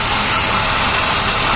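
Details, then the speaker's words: Petrol engine at idle after recent engine work; steady loud airy hiss from a disconnected vacuum line for the interior heating control, stopped once reconnected. "off hey there we go now that took away my hissing well that sounds better"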